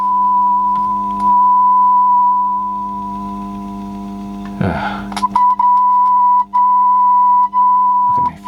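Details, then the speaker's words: Audiosonic boombox cassette deck with a repaired generic mech, playing a 1 kHz test tone: pitch is slightly flat and wavering, so the tape is running slow with wow. Something may be rubbing near the motor; the speed pot needs adjusting. "listen that wow and it's running a bit slow"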